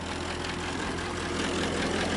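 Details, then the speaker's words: 1927 Elcar engine idling warm, gauge reading dropping toward about 40–45 as it warms: steady idle with light quick ticking, lifter tap; owner expects it needs valve adjustment, otherwise running well with no smoke. "you can hear some lifter staff and I'm sure it's gonna meet some valve adjustment but otherwise it's running really good absolutely no smoke"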